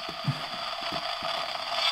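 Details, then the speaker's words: Homemade superhet expansion to a regenerative shortwave receiver on a solderless breadboard: scratchy irregular crackles and dropouts over faint hiss from dodgy breadboard contacts; intermittent contact crackle. "you can hear this noises that's the that's the solar breadboard the contacts are very dodgy that's annoying"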